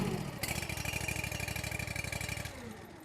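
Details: Honda IGX700/IGX800 engine on a log splitter surging: quick chugging pulses, then easing off as the speed hunts. Water in the fuel or fuel delivery was suspected first; the owner now believes it is a spark delivery problem.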